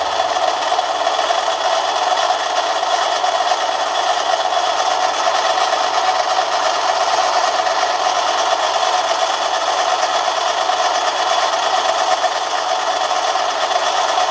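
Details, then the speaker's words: Manson lathe turning a 1/2-inch brass bar at about one-fifth normal speed, very light cut: even, steady hum with a faint high note, no chatter or grinding; running smoothly. "so that's very very light cut obviously but we'll give it another go"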